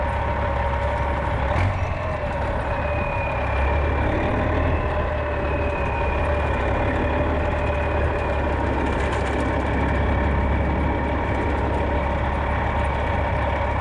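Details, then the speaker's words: 1995 Western Star with Cat 3406E diesel idling after new 6-inch Grand Rock exhaust installation; deep even rumble with steady low drone, smooth. "it had a nice rumble to it but it's relatively quiet now"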